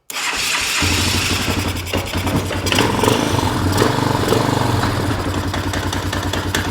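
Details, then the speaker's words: 1998 Honda Recon 250 single-cylinder ATV after top-end rebuild (new piston, rings, valves, seals): loud, rough, uneven thumping, worse under load with brake held in gear than with wheels lifted; owner suspects timing chain, unconfirmed. "Well, that sounded rough. As soon as I held the brake and the motor was under load, it sounded bad again."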